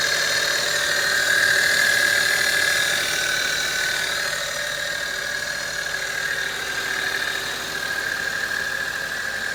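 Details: 2008 Acura TL 3.2L automatic, just under 175,000 miles, at idle: steady high whine from the left side of the engine; alternator, serpentine belt and power steering o-rings already replaced, cause unknown.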